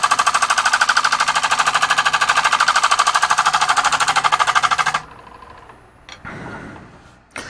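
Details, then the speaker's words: Wood lathe, light cut on a hybrid oak and cast-resin platter with holes filled with blue resin: sharp, even banging about three times a second as the tool catches each turn, then quiet once it lifts; interrupted cut, workpiece out of round. "you can hear that it's you know it's not perfectly round or flat but we're not trying to take a lot off of this either"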